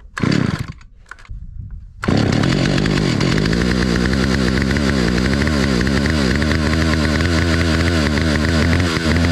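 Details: 43-year-old Stihl 028 Wood Boss chainsaw after carburetor reassembly: a couple of pulls, then it runs lumpy with the speed wandering and will not idle. The owner suspects the carburetor adjustments are off and plans to open the low-speed screw.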